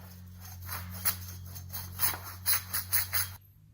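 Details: 2013 Nissan Armada hub, removed and worked by hand: loose, dry rattling bursts from a worn wheel bearing with play; the hub assembly is replaced.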